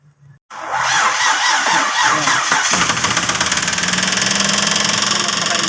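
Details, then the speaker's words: Mitsubishi Pajero V6, previously repaired elsewhere for a leaking intake coolant bypass tube: cranks and runs with a loud, harsh, rapid metallic clatter from a washer trapped in a cylinder. "napakaingay ng makina Ayan guys pinapakinggan niyo naman napakaingay ng kanyang makina"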